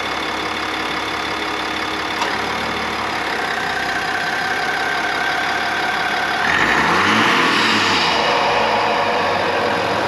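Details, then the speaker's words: 3.0 Duramax diesel truck just after a pre-production PPE carbon-fiber intake pipe replaced an S&B pipe; the engine catches and settles into a steady, even diesel idle with no knocks or rattles. Little sound change is expected. Normal start and idle. "now I will fire it up I'm not expecting much of a noise difference if any because I already had the s p pipe back there but for those of you with the factory unit you will notice a difference on sound and pedal response"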